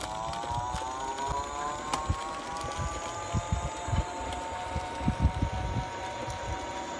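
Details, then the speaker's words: Liberty Trike electric trike after chain and sprocket adjustment, motor at full throttle without pedaling; soft electric whine climbing in pitch with only light ticks, no chain rattle or grinding, drive quiet. "Well, it sounds good and quiet as I pedal, but let's try it with the motor."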